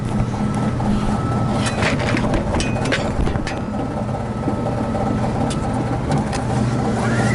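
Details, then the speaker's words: Newly installed Lennox KGB furnace blower running on high, compressor disconnected: steady low hum with uneven throbbing bounce under airflow; blower wheel has a flat spot, making the motor wobble and vibrate. "And I don't know about you, but a motor wobble like that on a motor bouncing like that, I mean, on a on a one being the small micro one."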